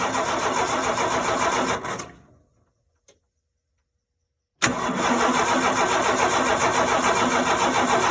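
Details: No-start on 4.9 (300) inline-six: steady even cranking at about three and a half beats per second, stops, cranks again, never catches or fires; cranks but no start.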